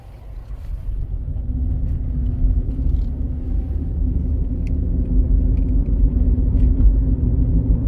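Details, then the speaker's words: Ford Fusion Hybrid on a road test, customer complaint of noise from the rear: deep, low roar with a faint wobbling pulse building at road speed, likely from a worn rear wheel bearing. "Can you hear that? That roar, roar, roar. So now, it's still there."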